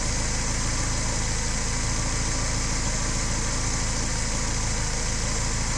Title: DTA S80 misfires